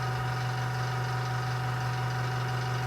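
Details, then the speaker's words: Small airbrush compressor kicking back on after pressure dropped about 10 psi to 20, refilling to 30 psi: steady low electric hum and even buzz, no knocking or rattle. Normal compressor running; the airbrush still won't spray paint. "all right so the compressor dropped back down about 10 psi to 20 and now it's coming come back on and let that get up to 30 psi again"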